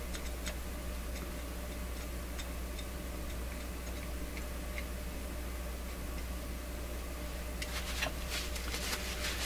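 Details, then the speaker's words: Clairtone console stereo record changer mid-troubleshooting: soft irregular ticks over a low hum as the record drops and the tonearm swings over and lowers. The cycle is working normally, though it needs more lubrication. "we're dropping the record record has dropped tonearm's coming over it's one arm going down"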